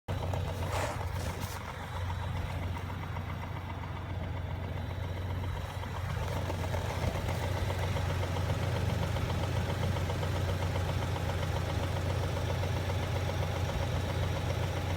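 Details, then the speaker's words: 2017 Ford Raptor, engine replaced at 37,000 km, with years of cam issues, cold start at -26 °C: faint steady knock under low idle, cause unconfirmed. "It's minus 26 Celsius outside. It's a slight engine knock on a 2017 Ford Raptor."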